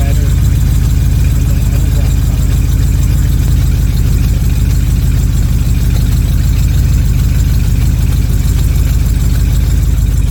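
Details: 1979 Corvette C3 V8 just after a new Holley Street Demon 625 CFM carburetor replaced an Edelbrock 600, freshly primed and warming up, with a known exhaust leak at the manifold-to-side-pipe joint. A deep, even idle lopes about three pulses a second: a normal, healthy idle.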